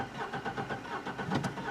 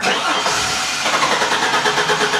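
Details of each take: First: 2004 Chevrolet Trailblazer 4.3L V6, no power, skipping under load uphill; quick relative compression test while cranking: lopsided beat, one stroke per cycle lighter and quicker; cylinder 3 low compression, suspected sticking valve. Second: Engine suspected of losing compression under load, cranking during a starter current test: even, steady rhythm with about three matching compression pulses a second, so the starter motor is good and the current peaks compare evenly.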